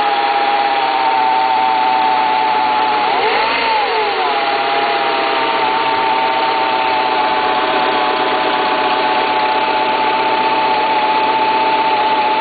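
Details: Renault Scenic 1.8 idling cold: steady mid-pitched whine that dips briefly and recovers, with irregular tapping underneath; cause not clear.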